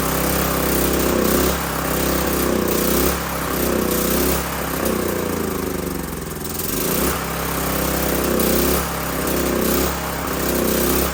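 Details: Old 5500-watt gas generator after carburetor replacement, diesel mixed into the petrol, tank nearly empty; steady drone surging and sagging every second or two; choppy running, owner suspects diesel-contaminated fuel.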